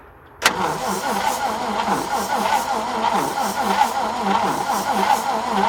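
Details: 1950 Chrysler DeSoto flathead six, 6-volt positive ground: starter turns the engine with rhythmic chugging about three pulses a second, but it never fires; cranks but does not start.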